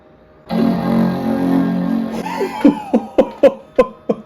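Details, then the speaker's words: Power Mac G4 (MDD, dual 867 MHz G4, 2GB RAM), first power-on, no external speakers: full sustained chord for about two seconds then sharp clicks; normal startup chime, though it then cannot boot from the hard drive. "Did you hear that? That was the most intimidating bong I've ever heard."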